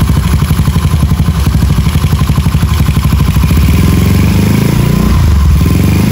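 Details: Rebuilt Honda Beat carbureted 130cc daily, stock valves, in frame, carb tuned, quiet exhaust: quick blips, revs climb very fast and fall back cleanly, no knocks; healthy free revving.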